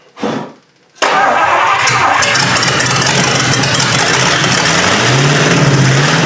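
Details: 1953 Hemi engine with its old carburetor catches after a short crank and settles into a steady, even run with a slight pitch rise; normal idle, running healthy.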